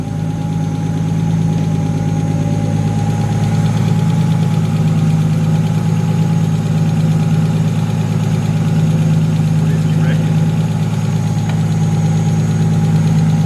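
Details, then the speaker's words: Nissan Skyline R33 drift car with rebuilt RB25DET: steady, even idle with smooth low hum, no knocks or misses; runs beautifully, turbo now works, slight hesitation noted; normal idle. "Oh, this car runs beautifully. God damn. The turbo actually works now."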